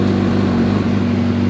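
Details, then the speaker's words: Suzuki Bandit 650S barn find, sat two years, battery trickle-charged, just started on choke with clutch held in: even, steady engine note, smooth low drone, no knocks or misses; running normally, clutch cable still needs adjusting. "It's running."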